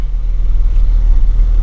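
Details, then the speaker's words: BMW E30 Touring cold start test: starts right up, with a low steady rumble settling into an even idle, no knocks or stumbles; a normal cold-start idle. "Alright, we're here to do a cold start test. Put the key. Starts right up."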